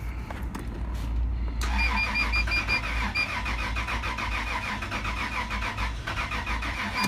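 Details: 2000 Toyota 4Runner 3.4 V6 cranks but won't start after another shop replaced the timing belt; no codes stored. Steady even starter cranking, about three beats a second, never catches; lab scope cam/crank correlation test underway, cause not yet confirmed.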